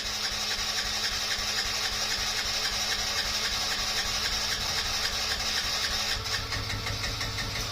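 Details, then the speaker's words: Yamaha Raptor 50 quad, first start, neutral with choke: small single buzzing at a raised steady idle that sticks instead of settling; owner suspects a dirty, gummed carburetor or a lean mixture. "choke oh it seems to have a little bit too much fuel I reved it it kind of sticking so maybe either the carburetor is uh a little dirty and gummed up or um or it's running too uh is it too lean yeah because it's just kind of wanted to stick on the throttle"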